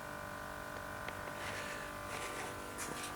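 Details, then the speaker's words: Fuel pump priming after installing in-tank sock filter and in-line replaceable filter on a 1190 tank, key cycled on and off about five times to build pressure: thin steady electric buzz for a few seconds; pump priming normally. "this apparently you turn the key on and off let it the pump do its thing like five times here it's down the build pressure"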